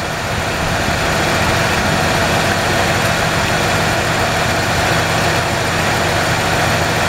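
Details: 1994 Ford F-150, 265K-mile motor, ignition fixed, IAC replaced, fuel rail pressure good; uneven loping idle with faint hiss, scope shows all cylinders running lean.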